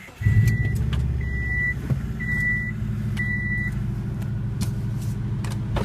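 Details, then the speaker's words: Subaru Forester starting up after AC compressor clutch bearing replacement: the starter catches and the engine settles into an even, steady idle with dash chimes and no squeal or bearing rumble. Normal idle. "okay so here's the startup of the forester after the AC clutch repair with new bearing in it"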